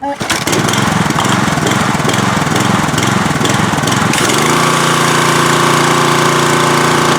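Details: Troy-Bilt pressure washer, Briggs & Stratton engine, after spark plug trouble and carburetor main-jet cleaning: catches and roars, then settles on idle-down to a steady drone with a faint waver; slight idle surge but runs reliably.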